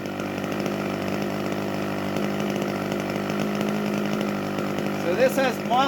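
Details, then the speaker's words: 32-year-old OS 61SF two-stroke nitro model engine on muffler pressure, full throttle on the ground: high, steady buzzing with slight burbling and break-up, needle deliberately set slightly rich so it leans out when climbing vertically. "pressure with muffler pressure you want it rich level running in static you can hear how it's rich so it's just breaking breaking up slightly rich"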